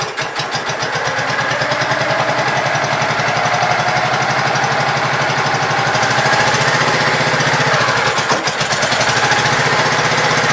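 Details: Gravely Pro 12 single-cylinder, choke on, just above idle: steady rapid even chuffing, no knock or miss; deck not turning easily; engine healthy.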